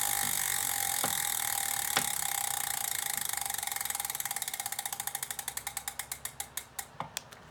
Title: Elite Direto Knocking Sound